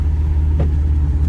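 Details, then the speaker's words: 2011 Infiniti G37 driving at cruising speed: steady low droning hum under road noise; bad wheel hub bearing, wheel shakes under braking; both hubs and upper control arms being replaced. "just pay attention to where the noise is coming from um if you have a good ear and and point out the you know the source of the Sound Source you know which wheel hub is bad"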